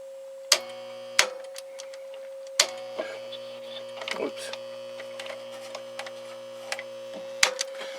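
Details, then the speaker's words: Plate tuning capacitor in a transmitter arcing near the dip point, already cleaned, recapped and adjusted, loading at 75 percent power: steady transformer hum broken by sharp irregular snaps about every second; arcing between capacitor plates, later evened with a screwdriver. "now it doesn't want to do it there you go so that's uh that's going to destroy that capacitor quickly and uh going to do other damage here so that's what we got to fix"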